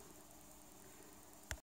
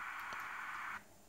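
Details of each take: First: AN/PRC-10 tube VHF manpack radio: steady hiss stays unmuted because the newly fitted squelch relay doesn't work, then a sharp click cuts the sound to silence. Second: AN/PRC-10 tube VHF manpack radio after repairing shorted squelch relay: steady receiver hiss with squelch off, cutting abruptly to near silence as squelch closes; normal.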